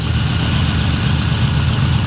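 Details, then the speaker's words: Naturally aspirated Toyota Supra inline-six on individual throttle bodies, idling on the dyno while the airflow through all six is checked. Loud, lumpy idle with an uneven pulse; a couple of throttle bodies are suspected out of balance. Uneven idle. "it sounds like there's a couple that are out i mean it has got two seven twos in it"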